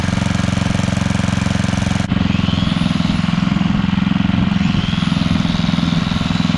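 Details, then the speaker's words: Coleman Powermate 5000-watt generator drones under load with an uneven, hunting beat; output only about 80-something volts, not running right, owner plans a new spark plug. "okay so for some reason we're not getting full power so yeah on our voltage we're only getting 80 something so definitely not running right"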